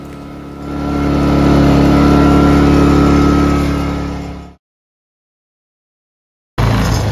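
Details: Ryobi 2300W inverter generator after cleaning the carburetor for idle surging: engine climbs to a steady, even speed and holds it without hunting or surging, running smoothly.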